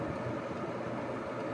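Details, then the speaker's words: 1971 Sears Coldspot 6,000 BTU window air conditioner by Whirlpool, Tecumseh AK reciprocating compressor, very quiet: once the fan motor is up to speed a steady hum with faint rattly buzz; worn fan motor thrust washers. "Once the fan motor comes up to speed, it's not too loud. You could still hear the thrust washer issue, but it's not terrible."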